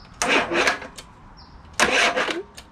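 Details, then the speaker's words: Predator 224cc Max Performance engine after fitting a milled, ported Predator 212 HEMI head with stainless flat valves and titanium keepers: two short starter whirs, no cranking; owner suspected battery, then a fuse popped; engine has noticeable compression. "i think it's a battery you get a bigger one nope uh oh we already popped the fuse we sure did"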